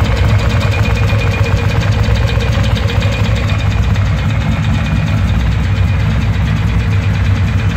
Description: Could this be the classic piston problem on early monsters or something else?